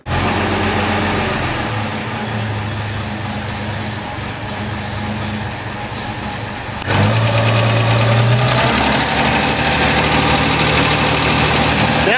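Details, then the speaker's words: BMC Wolseley Farina 24/80 during restoration, first start: light, quick ticking about four times a second over a steady idle, rising with revs; tappet noise suspected and valve clearances may need rechecking. "like it's got a bit of tablet noise but i um i checked a lot i might have to read check it"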